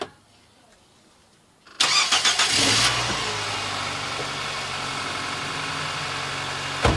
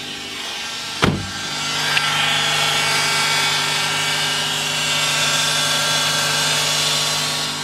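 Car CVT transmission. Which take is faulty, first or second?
second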